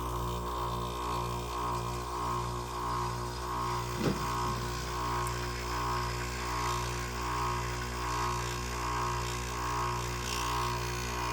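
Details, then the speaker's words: Whirlpool 5000 BTU window air conditioner ACM052XH1: steady low hum with slow pulsing compressor drone, running but taking about 10 minutes to cool; owner suspects low refrigerant charge. "you can hear that refri this thing takes forever and a day to get but it sounds like the compressor starting to work finally but now this thing takes 10 minutes to get good and cold"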